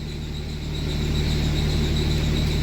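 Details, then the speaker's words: Cummins diesel truck, after fixing a zero rail pressure fault: steady, even idle with low drone and faint constant high tone, no misfire as before; rail pressure steady within about 100 psi. "the elite that almost sounds like it runs better I don't hear a misfire like I did before"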